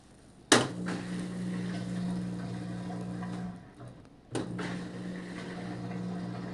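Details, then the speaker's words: Washer with a no-water-entering complaint, draining during a small-load spin-and-drain test cycle: steady low pump hum with water gurgle, briefly stopping then resuming evenly. Normal pump-out, water drained. "normal pump out sounds normal water's drained out"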